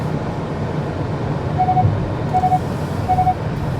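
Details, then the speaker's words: 2021 Kia K5 driving around town: three short soft chimes about two-thirds of a second apart over steady road and engine noise, the lane departure warning sounding whenever a dotted or solid line is crossed; normal. "You hear the 3 little chimes? That's what you hear anytime you go over a dotted line or a solid line as your lane departure warning."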